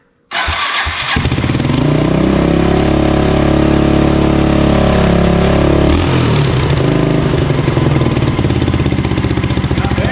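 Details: 1984 Honda ATC200X trike with a swapped-in 1988 TRX200SX engine, jump-started because the starter is bad and the carb is known to be messed up: catches after a short crank and settles into a steady, fairly even single-cylinder run with a brief rev; it runs better than expected.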